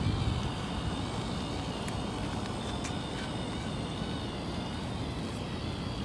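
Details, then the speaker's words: Traxxas TRX-4 RC crawler after its dried-out transmission was greased to cure a ticking noise under load: steady, even drive hum with no clicks or knocks; gears now sound smooth and normal. "now look like it's silent now i think it's just needs some grease inside now it's okay no more noise like it's normal already"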